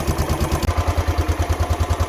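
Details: Royal Enfield Classic 500 on its centre stand, idling for two minutes after its first run-in oil and filter change while the oil level drops: steady even thumping at about nine beats a second, no knocks or rattles. Healthy.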